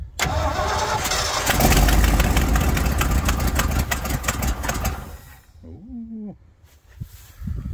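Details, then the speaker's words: 1980 Ford LN700 truck, 370 big block V8 four-barrel carb, sat a few years, about 45°F cold: steady starter cranking for about five seconds that never catches; cranks but won't start, owner suspects it needs manual choke after starting fluid. "let's see must be a manual choke let me pull that choke lever she'd probably be running it's about 45 degrees out so probably cold enough to need the joke"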